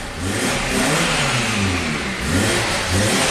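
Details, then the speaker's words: 2011 Nissan Sentra, 33,000 miles, with the intake hose off so air bypasses the MAF: a rough, wavering roar with heavy smoke. It runs only with the throttle floored, dies otherwise and shows no DTCs. Another shop had already replaced plugs, coils, fuel pump and converter. "there's so much smoke coming out of this thing it's insane so I have to floor it to keep it running"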